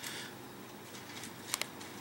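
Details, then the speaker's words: Dometic DM2652 RV fridge, replacement quieter cooling fan in the cooling stack, replacing the noisy stock thermostat-controlled fan: faint even airy hiss, no hum, buzz or rattle, almost dead quiet. "it's pretty well dead quiet"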